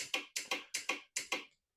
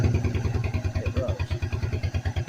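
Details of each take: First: 1997 Suzuki Quadrunner 250 ATV: pressing the starter button gives four sharp double solenoid clicks in two seconds with no cranking; starter suspected, later found burnt inside with brushes possibly worn away. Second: Suzuki Quadrunner 250 ATV (possibly 1997) with temporarily repaired starter (brushes swapped in, filed, soldered to main post): steady rhythmic cranking about three beats a second for five seconds, even pulses; starter spins engine properly; fuel system needed purging.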